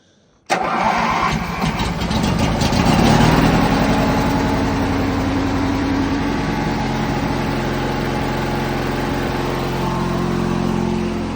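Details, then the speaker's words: Ranch King riding lawn mower after cleaning and headlight work: fires right up, swells briefly, then settles into a steady, even twin-cylinder idle with no misses or knocks; normal start and idle. "But fires right up. Headlights work."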